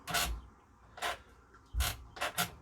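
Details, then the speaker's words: Thorn 8940 VHS recorder (JVC HR7350-based) on cassette eject: separate sharp clunks and rattles in uneven bursts instead of a slow damped rise; the eject air brake has failed. "there is an air brake facility and what it should do is when you press eject it should come up nice and slowly like that what they can do is they either go like that when they break or they do what this is doing"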